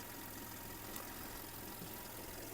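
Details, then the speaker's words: 2005 Audi A3 1.6 MPI (BSE) petrol engine, 75 kW/102 hp, 209,000 km, from the Netherlands, no dashboard errors: quiet, steady, even idle hum with no stumbles or knocks; it runs smoothly with no smoke, no misfire and no breather blow-by. "чистенькийтор працює тихо рівно не димить не троїть не сапунить"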